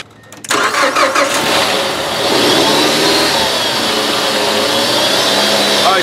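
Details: 2010 Mazda 3 2.5 L from auction, which had no start, no crank, no PCM communication, CAN bus codes and a flashing security light; an open circuit is bypassed with a test light to ground. Short crank, then the engine catches and runs evenly, a normal start.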